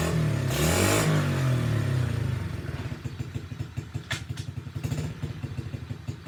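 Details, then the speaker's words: SSR pit bike being revived after neglect, started on choke with a like-new air filter and a worn carburetor due for replacement: single rev, then a steady popping idle that keeps running on its own; the engine runs. "okay well that's good news it runs"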